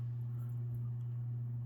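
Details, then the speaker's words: Sportscast Budweiser 42-inch ceiling fan from 2001, dormant 20-plus years, on low speed: steady low electrical hum at constant pitch; owner suspects something loose, perhaps the globe, plus bearing noise from sitting, not confirmed. "so here on low this thing's got quite a hum to it something's loose I'm not sure exactly what it is"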